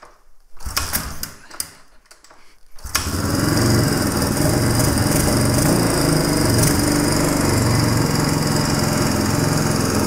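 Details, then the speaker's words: 1997 Suzuki DR350 single, cold start on choke after a few failed kicks, idle uneven and lumpy; erratic idle with backfiring, dying on throttle, hard starting; suspected loose cam chain, cam timing, CDI, decompression mechanism or vacuum leak. "when I start this up on choke right when it starts the idle starts to fluctuate so listen for that if it's steady we may have made some positive [Applause] change"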